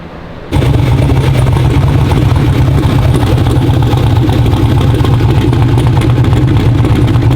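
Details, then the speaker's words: Twin-turbo Black Sheep LS V8 street car during shakedown after first fire-up, factory GM water pump with rear-mount radiator: catches at once, deep even lumpy idle, runs clean; possible slight starter issue. "idle's great runs great great uh slight issue with starter possibly"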